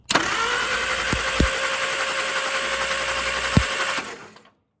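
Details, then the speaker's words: 1947 Willys CJ2A, sat in barn nearly a decade, points ignition, different battery fitted: starter spins it briskly, about four turns a second, but it never catches; crank no start from very inconsistent, erratic spark. "I don't know if you guys can see that or not, but that is very inconsistent spark. It's only sparking every so often."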